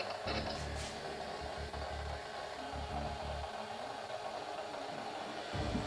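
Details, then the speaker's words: Solwise NET-PL1000 powerline adapters during a 300 MB network file transfer: choppy on-off buzzing bursts over hiss picked up on a scanner, while a battery DAB radio drops out until the transfer ends. Powerline adapter interference. "the noise you can hear in the background is the transmission interference coming through on the scanner because the dab radio has stopped working that's the battery operated dab radio"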